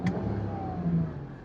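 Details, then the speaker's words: BMW E9X 325i N52 at running temperature after DISA valve repair for rough idle: engine blips up quickly and smoothly, revving much faster than before, settling back with no misfire or stumble. "like that revs so much faster than it used to"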